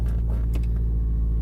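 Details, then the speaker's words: 2007 MazdaSpeed3 after VVT actuator replacement, about 300 miles later, at startup and idle: steady, smooth low rumble with no VVT rattle or ticking. Normal idle. "listen for the vbt noise there is none it doesn't have that nasty when you start it up so I'm pretty happy with that"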